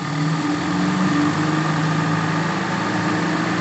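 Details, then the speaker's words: Suzuki Feroza carburetor engine, brought in for high fuel consumption, after the primary jet was enlarged: steady, even idle with a smooth low hum and no stumble or misfire; the earlier roughness is gone. "Kelihatannya sudah nggak ada anggregelnya ini"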